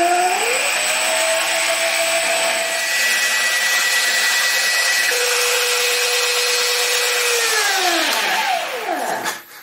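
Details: Stepper motor on a cheap TB6600 analog driver without microstepping: a high steady whine holds, then its pitch sags and drops away near the end as the motor loses steps and stalls; owner suspects it needs more current.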